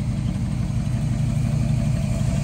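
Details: 1969 Chevy K10 truck with 350 V8 and 4-speed, sitting 20–30+ years, running off a temporary fuel tank: deep, steady V8 burble at idle with an even low rumble, no misses or knocks; normal idle.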